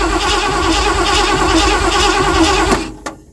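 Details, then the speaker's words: 1979 Ford F-100 that sat for years, start attempt after fitting the gas pedal return spring and adding fuel: uneven cranking with ragged catches that bark but never settle into running, then dies. Cranks and fires but won't run. "Something doesn't sound right. I can tell you that."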